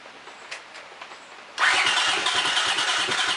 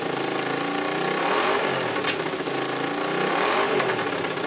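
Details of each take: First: Honda CX500 twin with exhaust leaks and suspected sticky valves, after cleaning plugs: starter spins at a steady chug, engine never catches, one little fire; owner suspects no fuel or lost compression. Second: Honda CX500 motorcycle, running without radiator or coolant, with exhaust leaks at the head needing gaskets: twin idles steadily and picks up cleanly on short blips with no knocks or rattles; seems to run fine.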